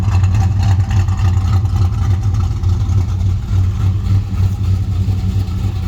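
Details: 1968 Chrysler Newport Custom with Holley Sniper fuel injection and Hyperspark ignition, idle timing set around 18 degrees, where it ran smoothest; deep even rumble, steady beat, no stumble or shake; normal idle.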